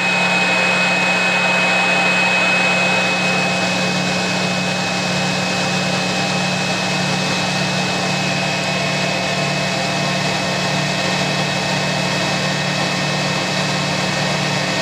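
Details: Spin dryer (Hoover 3021 or Creda Debonair 37061) giving a woollens load an extra fast spin outdoors in hot sun: steady even whine over a low hum, holding pitch, no knocks or scraping; runs healthy at full speed.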